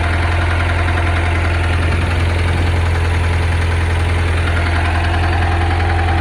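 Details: Engine idling with a deep hum and a fairly regular knock about two to three times a second; rod knock or pushrod slap suspected, not confirmed.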